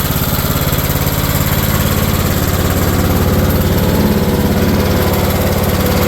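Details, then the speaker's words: Kohler single-cylinder on a Cub Cadet mower after new coil and wire, plug gap set, new air filter, oil drain and blades; runs steady and even, firing regularly with no misses or knocks. "put a better oil drain system on here and installed it new blades and got everything thing all freshened up so it runs great now"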